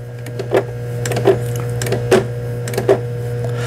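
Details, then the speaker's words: Brother PS12 New Star sewing machine, about 30 years old, repaired for a broken reverse button, an inoperative feed-dog lever, bottom thread tangling and upper tension faults. Zigzag width set to 5: a soft hum with an even stitch clatter about every 0.75 s. Stitching normally. "그 다음에 이제 요 지그재그 폭을 5번에 놓고 각종 기능들을 테스트 해 보도록 하겠습니다. 지그재그 바느질이 지금 나오고 있는 이런 영상이 되겠습니다."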